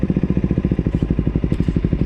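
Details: KTM Duke at a steady idle: a sharp, regular clatter on every firing pulse, about eleven a second; an abnormal mechanical noise, cause unknown.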